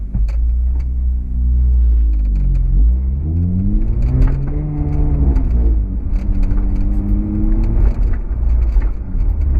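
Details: 2008 Honda Accord coupe with BC BR coilovers: sharp irregular knocking from the rear coilovers over bumps since first day of install; end links, sway bar, bushings, top nut and mounting bolts already ruled out.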